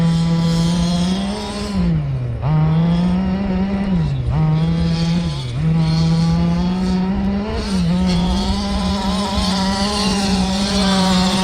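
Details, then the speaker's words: Losi DBXL 1/5 RC truck with Zenoah 32cc two-stroke, first run after 2 years, in thick mud on heavy mud tires: high buzzing drone sagging in pitch about four times, bogging under load; carburetor needs tuning. "Oh, you can hear the engine bogging just a bit. That's okay. Still have to kind of tune it up a little bit."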